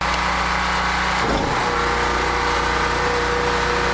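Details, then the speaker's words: Small generator after carburetor replacement, under load, running on old gas from its tank and holding 59.9–60 Hz with no surging; steady even drone with no rise and fall in speed; normal running. "59.9. Nothing wrong with that, folks. 60 now. That's all right. Anywhere in that area is perfect. No more surging."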